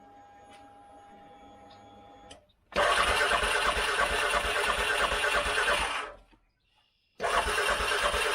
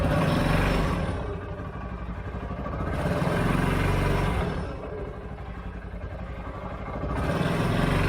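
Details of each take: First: 2013 CFMOTO Z Force 6 after fuel pump change, filling filter and purging air: cranks hard about three seconds, stalls, then catches; owner suspects little fuel in tank. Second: 2013 CFMOTO Z Force 6 after a fuel pump change, with 45 PSI and the filter primed but the tank probably low on fuel: engine revs smoothly in two even swells, then drops back to a steady run with no misses or knocks; running fine.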